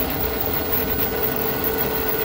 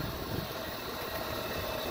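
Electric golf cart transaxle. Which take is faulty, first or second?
first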